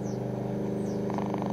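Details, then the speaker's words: Belkin powerline network adapter near shortwave radio, file transfer switched off, one adapter still plugged in: rapid even buzzing pulses with droning hum over radio hiss, BBC World Service struggling through; powerline adapter radio interference. "switched off the file transfer and you can still hear the popping of the belkins but the real big row is gone and you can hear the world service struggling to get through the popping from the belkin that is plugged in at the moment"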